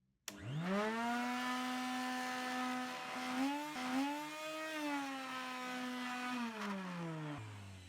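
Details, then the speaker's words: Numatic Henry HVR 222 vacuum, damp, on its high setting: loud, steady motor whine that wavers with airflow and blows out dust. Excessively loud motor; it had been used with no filter fitted. "I was told by the guy I got it off that it's very loud. Turn it on and just brace yourself."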